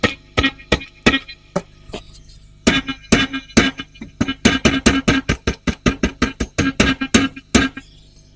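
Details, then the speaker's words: Vintage AC10 valve amp, extra microphone inside the cabinet at raised sensitivity: each tap brings a ringing, boomy ping through the speaker in irregular bursts; customer complains it is microphonic, EF86 preamp valve suspected, not yet confirmed. "One of the valves is making all sorts of fun noises, which means we need to get inside and have a look."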